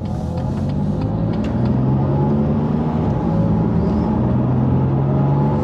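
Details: Rebuilt BMW M2 Competition on its first road test after repair, after refitting a missing trim bolt that had let the trim catch the wheel. Smooth engine and road hum under light throttle with no clunks or rattles. Driving normally, apart from a bearing noise noted elsewhere.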